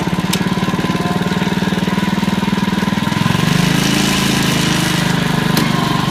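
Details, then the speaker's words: Honda HRD535 mower with a gearbox drive problem; the single-cylinder engine thumps steadily at idle but the self-propelled drive does not work, and the owner suspects the gearbox or a clutch part. Self-propelled drive fault. "so yeah but it's over running I think this is the gearbox"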